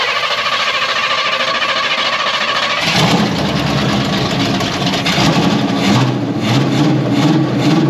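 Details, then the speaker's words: 1981 Oldsmobile Cutlass G-body V8, after sitting nearly a decade: engine catches and settles into a loud, uneven, choppy, lumpy idle instead of a steady rumble; rough idle. "We got idle. Idle's a little choppy."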